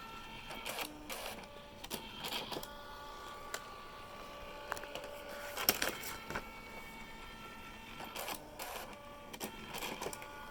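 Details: Brand-new, essentially unused Canon Typestar 3 portable electric typewriter on batteries, self-test code T: quick bursts of print-head strikes and short carriage whirs with pauses, all even and clean. The self-test prints normally.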